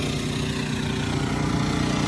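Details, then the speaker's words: Champion generator (about $1100) running a home air-conditioning condenser fitted with a soft start kit: the steady drone deepens slightly and settles as the compressor kicks in, holding speed well. Normal running under load. "I'm waiting for the compressor to kick in oh here's a hear it you hear it change his tune oh yeah"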